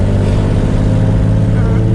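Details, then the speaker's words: Nissan with stock HR engine, turbocharged and running about 20 psi, driving at night: loud raw deep blare with no turbo whistle; owner suspects a missing header bolt at the turbo letting exhaust escape before the turbo. "at this point there is no turbo all the air is escaping before it even hits the turbo"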